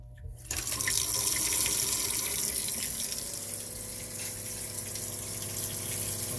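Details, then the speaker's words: Newly installed replacement fresh water pump in a Jayco camper, running with tap open: steady low electric hum under rushing water; stronger than old pump, about five psi more, healthy. "hear the pump running it's definitely it's more powerful a little bit more psi about five more psi than the old pump"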